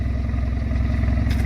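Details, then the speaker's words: 4-cylinder turbo LTG Camaro with forged internals, first drive after build, cold weather: steady smooth idle, no ticking or knocking; earlier noise quieted, thought to be lifters needing oil pressure; engine sounds healthy. "I think it just needed some fuel pressure or some oil pressure to get the lifters oiled up. Well, it runs. Sounds all right. Sounds healthy."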